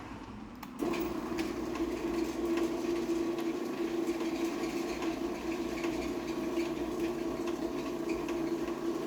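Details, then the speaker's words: Stanley/Vemco TT200.A05 garage door opener with one-piece rail, foam isolators on the case: low steady hum, faint even chatter, slight squeak from play at the front needing lube; very quiet, normal operation. "extremely quiet and you can even kind of hear the play at the front squeaking a little bit I'm going have to lube that some but yes very very very quiet opener I love it"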